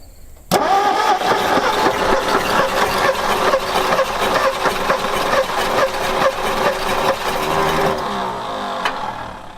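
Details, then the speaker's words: 1960 Ford F100 panel truck sat 40 years, carb fed fuel plus starting fluid: catches and stumbles several seconds on only some cylinders, never settling to idle; owners suspect compression from stuck rings, slow cranking. "Sounds weird. >> Act like it's hitting on a couple cylinders. >> Not others."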